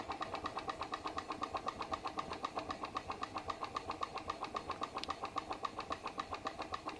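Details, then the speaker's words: PM Research glass Stirling engine driving a homemade Baker fan, slowed by the fan load. Soft, even ticking about four beats a second, no misses, turning slowly but steadily; normal running under load. "it's actually working it's working to turn that Baker fan sounds great sounds like an engine under load working and I reckon that's pretty cool for a Sterling engine"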